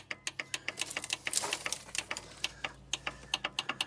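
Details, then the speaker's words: 43-year-old International Transtar II truck, sat over 20 years, engine start button pressed: quick dry clicks about six a second from the starter solenoid, with no cranking and no engine turning; rapid solenoid clicking, no crank. "hang on let I hear it clicking back here let me see right"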